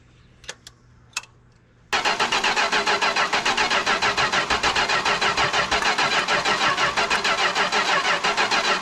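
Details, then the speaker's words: 1974 Chrysler New Yorker 440 big-block V8 revival, screwdriver-choked, starter grinding about three turns a second with only occasional firing, never keeps running; owner suspects ignition switch or coil giving intermittent power. Starter getting hot. "Crank it. Stop. Of course, every time I let go, Yeah, I know. she tries to flash."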